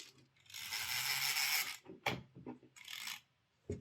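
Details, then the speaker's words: Old Jouef HO Class 21/29 model locomotive, washer fitted under the gear, brass dust found: harsh gritty whir in uneven bursts as the motor strains; worn worm gear grinding its brass gear, running noisy and wobbly but going. "Yeah, see, that's running better. So there we go. It's it's going to be noisy and rattly and wobbly and a terrible runner, but at least it is going."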